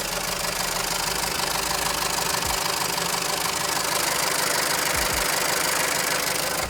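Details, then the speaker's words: 2007 VW Jetta GLI 2.0T FSI (EA113/BPY) idling, microphone in the engine bay: loud, rapid metallic knocking clatter; intermittent oil pressure loss and code P000A; cause a failed oil pump drive chain. "So there you go, it's pretty loud."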